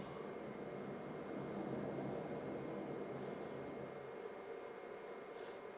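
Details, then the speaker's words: PlayStation 2 bought on eBay as having no power, after a repair of a disc tray that was caught on a peg, testing with Enter the Matrix; a steady whir with soft seek noise and no grinding or rattling; normal disc drive spin-up and read. "see if this uh this drive 's working it definitely sounds like it's trying to read it"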